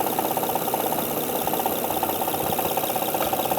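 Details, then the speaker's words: 2005 Honda Odyssey 3.5-liter idling with top cover off: sharp regular ticking, a little under three a second, clattering over the idle with some shaking, from a faulty timing belt tensioner; no check engine light, revs fine. "Now this is a fairly bad noise. It's shaking a little bit too."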